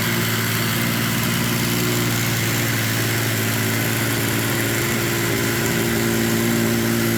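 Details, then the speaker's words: Yamaha triple-cylinder snowmobile engine swapped into a Polaris RZR XP, started with the key switch bypassed after teardown: even, steady three-cylinder idle with a smooth unbroken drone and no knocks, misses or rattles; normal idle. "hell yeah sounds good doesn't it sounds good"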